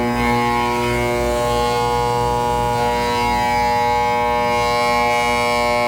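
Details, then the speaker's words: Intex pool pump that ran about a week, then would not start after the pool was cleaned and refilled: a loud steady electrical hum at one pitch with no spin-up; owner suspects a locked rotor, possibly a bad start capacitor. "that sounds like a locked rotor to me why is it locked we need to get this thing fixed please help us it will not start"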